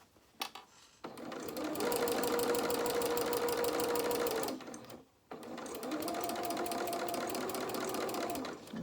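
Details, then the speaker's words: Sewing machine stitching a curved 1/4 inch seam, about three stitches a second: light loose rattle on each stitch; bobbin rattling, possibly running low on thread. "you can hear my bobbin rattling. I'm hoping I've got enough. I think I'm playing bobbin chicken with this one."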